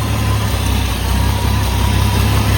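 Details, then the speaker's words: 1982 Ford F100, carbureted, barely warm with no choke fitted: low lumpy idle with uneven beat and slight speed wavering because it's still a little cold. "You can hear the uneasy idle because it's a little cold and I don't have a choke on it."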